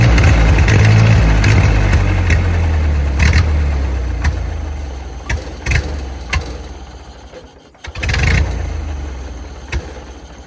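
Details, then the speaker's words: 1928 Ford Model A, revived after 75 years sitting in water, idling: harsh grinding bursts each time a gear is tried, clutch not releasing; fitted clutch is for a 1930 model, or throwout may be misadjusted. "So, come to find out, the clutch that I put in there is not the right one. This is like a 28, and that clutch was to fit a 30. And I guess there's something different about it because the clutch is not releasing."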